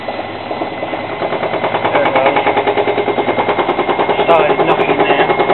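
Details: Hotpoint washing machine: rapid even knocking, about three per second, building as the drum speeds up past 500 rpm on spin; possible causes include unbalanced load, cracked concrete weight, a loose leg or loose pulley nut.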